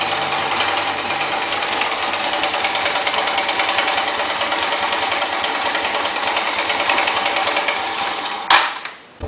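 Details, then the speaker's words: Dafra Riva 150 idling after valve adjustment (intake 0.04–0.06 mm, exhaust 0.07–0.09 mm) and carburetor cleaning, fast light tapping that comes and goes; valves and cam chain tensioner ruled out, piston pin or piston slap suspected, not confirmed. "e você notou que um barulho vai e volta e não há barulho constante então é bem provável que seja alguma coisa relacionada a pino de pistão"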